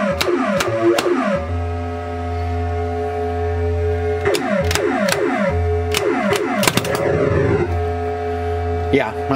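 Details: 1980 Williams Scorpion pinball with a new replacement sound board fitted: clean synthesized sweeps and tones over a steady low hum, no crackle or pops. Normal sound output.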